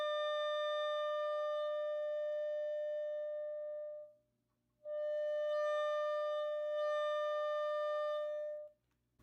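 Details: Heathkit T4 tube amp being converted to a guitar amp: a pure test tone turns buzzy and edged at full volume, cutting out and returning, with sag and distortion when driven hard; cause not confirmed.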